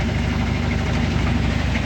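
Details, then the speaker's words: Top-load washing machine after repair running a wash with steady, even low motor hum, no scraping; the earlier scraping noise, with the drum rubbing underneath, is gone after removing the legs. "esta normalidad se le acabó el ruido chavalos"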